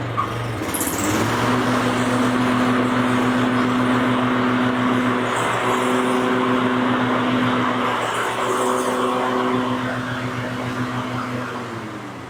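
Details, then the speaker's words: Toro TimeMaster mower after installing new PTO belt, test-run with cover off: steady, even engine hum with constant tone and no knocks, squeals or belt slap; everything running good. "So, now that you got that all taken care of, everything's running good and looks good, you can reinstall"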